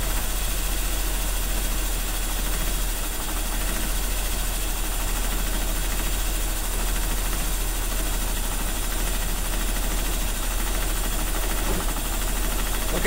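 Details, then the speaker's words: 1985 Mercedes 190E with KE-Jetronic injection, first start after months, air flow disk being adjusted a quarter turn at a time: engine settles into a steady low idle with a slightly uneven, lumpy beat; rough idle, mixture suspected, not confirmed. "he is running that counts a little bit right all right she is kind of alive kind of what can I do to make her better"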